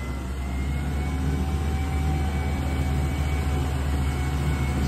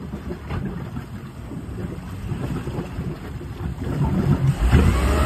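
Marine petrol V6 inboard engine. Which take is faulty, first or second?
second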